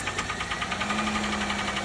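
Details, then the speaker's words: 2006 Pontiac G6 at auction, idling: fast even light tapping, about eight or nine taps a second over a low hum; engine tap, cause unknown. "Started it up with a gun. You can hear it tapping."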